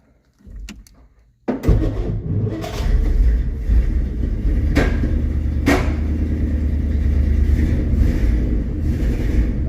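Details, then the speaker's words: 1963 Studebaker Champ pickup, points filed, electric fuel pump, being timed with a timing light; catches and runs rough with uneven stumbling idle, one plug wire mixed up giving wrong firing order. "One wire mixed up. Yep, we got a firing order wrong."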